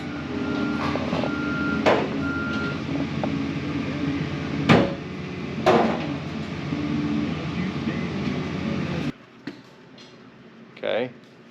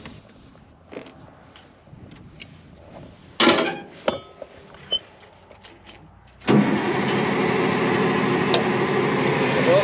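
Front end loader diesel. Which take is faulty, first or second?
second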